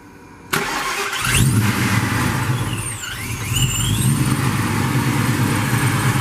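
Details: Cold start after new spark plugs and draining 93-octane pump gas for 110-octane race fuel, around 90 degrees outside: catches after a short crank into a rough, loud cold idle with thin squeals; runs.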